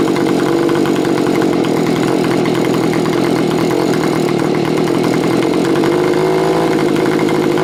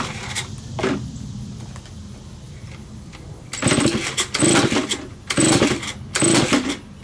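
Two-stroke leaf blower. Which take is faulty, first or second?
second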